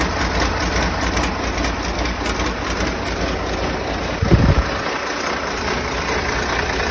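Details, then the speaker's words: First start of a freshly rebuilt diesel engine, oil pressure holding: low, steady diesel idle holding an even beat with no misses or bangs, apart from one short handling knock; healthy idle, only an injector pipe leaks. "Sweet. Well, pretty good. Pretty good. Pretty happy with that."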